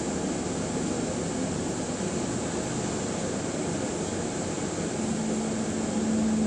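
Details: Bus SLN 36688 on route 181: a steady low drone swells into a firm, even, loud hum as the bus slows to a stop. Source unclear.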